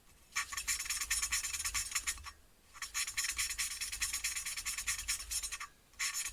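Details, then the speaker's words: Motorcycle engine valve being hand-lapped with fine compound and a suction lapping tool. Even bursts of fine hiss on each back-and-forth twist, with no gritty catches; smooth lapping, valve well seated. "that's sounding really well that sounding really really good i can't wait to get this engine built now"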